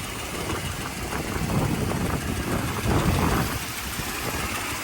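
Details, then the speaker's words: 1985 Mercedes 500SEC Euro spec idling, needed jump start despite newer battery: lumpy, shaky stumbling idle with rattle over low rumble; suspected misfire, owner hopes spark plugs are the cause. "all right so you have this going on it's a little bit of shaking and rattling so that's uh something that needs attention spark plugs likely hopefully hopefully that's all it is"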